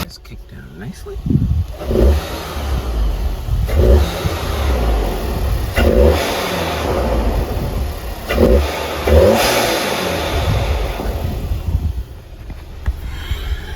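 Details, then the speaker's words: Revving with newly installed Integrated Engineering intake, hood open, engine cover on: repeated sharp revs about every two seconds, deep rising roar with clear intake whoosh on each blip; normal, healthy intake and turbo sound. "Now, with the hood closed, it might sound a little bit different, but if it is and you want a little bit more sound, turbo sound or intake noise, you can effectively take off your engine padding here."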